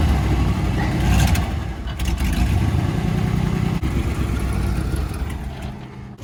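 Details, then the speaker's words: 1991 Camaro RS running for the first time in years, in reverse: rough, uneven running that stumbles and fades after a few seconds, bogging and dying when given gas; sounds fuel-starved, fuel pump relays suspected, unconfirmed. "dying when you give it gas, right? Yeah. All right, let's give those fuel pump relays a shot because it sounds like it's running out of gas."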